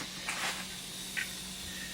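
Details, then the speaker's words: Bicycle inner tube after glue-and-patch repair attempt: faint steady hiss of escaping air with no rhythm; leak at the base of the valve stem, repair failed, new tube needed. "that noise that's not a good noise that's the leaking"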